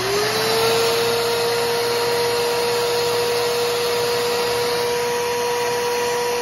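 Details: Bissell Powerforce Helix Turbo 68C71 vacuum, trash-picked, brush roll locked up and foot release broken; motor spins up to a steady high whine with a coarse grinding roughness underneath; rough motor running noise, cause unknown.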